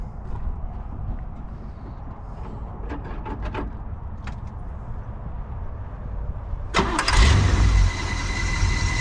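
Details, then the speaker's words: 1981 GMC 3500 V8 hauler, parked 20 years, first start after plug and plug-wire work, air filter off: quiet, then catches about seven seconds in and settles to a steady even idle, sounding much better; normal idle. "it he's got some power now now yeah we're sounding we're sounding way better"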